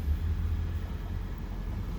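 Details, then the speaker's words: 2018 Toyota Prius hybrid after no-start from a dead 12V battery (rear seat, passenger side), jump-started: low steady rumble with no knocks or misses; engine running normally. "The engine is running now. Everything is fine."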